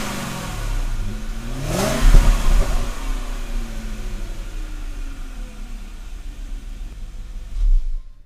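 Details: BMW 535ia after engine swap and gearbox refill, road test with silencer refitted: engine note climbs smoothly and pulls cleanly under acceleration without stumble or knock; engine and gearbox running faultlessly.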